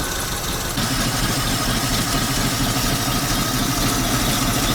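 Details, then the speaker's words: ZIL crane truck V8 petrol engine revived after 20 years standing: low uneven chuffing idle stumbling and loping irregularly; misfiring because it used up all the petrol. "Затроил он и запыхтел из-за того, что сожрал весь бензин."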